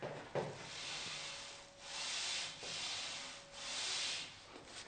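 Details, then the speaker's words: ATX MPHR 780 Smith machine bar moving on guide rails: soft, even hissing glide of internal ball bearings swelling with each stroke, no catching or clicks even off-center; bearings running smoothly. "I mean, you can hear how it sounds. You can hear the ball bearings inside there,"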